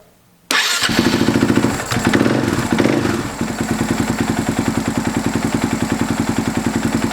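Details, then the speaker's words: Husaberg FX450 single-cylinder idling crisp and even after installing a Dirt Tricks timing chain tensioner to replace the stock hydraulic one; the cold-start timing chain knock is gone. "I don't know about you but I don't hear any noise [Music] the noise is gone"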